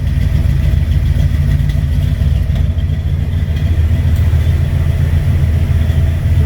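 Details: 1958 GMC 4x4 just after its first fire-up: deep, uneven idle with lumpy, irregular beats and no steady rhythm; fuel is reaching the filter; owner suspects a gunked carburetor, unconfirmed; rough running.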